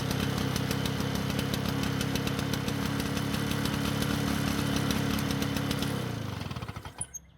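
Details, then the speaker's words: Lawnboy two-stroke mower after adjusting engine speed: putters at a low, slightly uneven speed, then fades and stalls; engine speed now too low and can't be raised high enough. "Fortunately, the engine speed was lower, but it was in fact too low and I couldn't get it high enough to use the"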